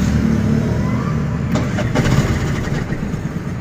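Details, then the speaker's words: Four-stroke auto rickshaw that stalled mid-ride: steady starter cranking at about three turns a second with uneven chugging, but it never starts. The owner suspects the battery or a sensor; the cause is unconfirmed. "चालूच होत नाही start करतोय पण काय होतंय काय माहिती engine start होत नाहीये"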